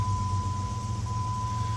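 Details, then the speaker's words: 2000 Jeep Grand Cherokee Laredo after the cylinder 2 misfire fix and idle relearn: low, even idle rumble with a steady high tone and no stumble; restarted smooth as silk at about 800 rpm. "my Walker is now we're back in the vehicle started up smooth as silk"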